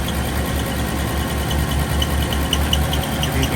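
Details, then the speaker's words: 1962 Chevrolet Bel Air, original inline-6, Powerglide automatic, 68,000 original miles, single exhaust; smooth, steady idle with faint light chirps of a belt squeak. "Single exhaust. Little belt squeak, but runs super smooth."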